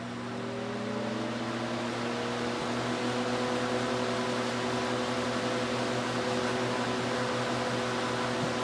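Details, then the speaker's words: Vintage Mimar model 425 fan, reassembled and oiled, both grills on, running on high: steady motor hum and rushing air with a light fast buzzy rattle; still rattles on high. "So as you might have heard, it does still rattle a bunch on high."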